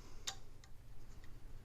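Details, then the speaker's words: Recurve bow rattle: a few light tinny clicks at uneven spacing, caused by a loose tiller counter screw at the bottom; tightening it quiets the bow, apart from slight arrow rest noise. "und 2 ging es in diesem falle wirklich hier unten um die tillar konter schraube und die ist hier bei diesen bogen jetzt auch lose"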